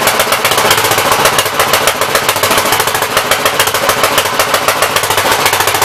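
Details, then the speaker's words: Gravely 64L tractor, single-cylinder, first run after long storage, choke off, throttle opened: fast, uneven popping beat that stumbles and hunts; flooding and running rich, main jet adjuster stuck to packing nut so mains can't be adjusted. "Sounds like it's flooding to me, but I can't adjust the mains yet, so. It's definitely flooding."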